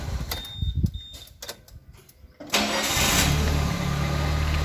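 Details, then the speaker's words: Suzuki Carry (Karimun Kotak) that would not crank after stopping; fault was a loose cable at the starter, now reconnected: a few quiet clicks, then the engine starts at once and settles into a steady, even idle, a normal start. "sudah normal kembali dan ternyata hanya hal yang sepele tapi jangan disepelekan"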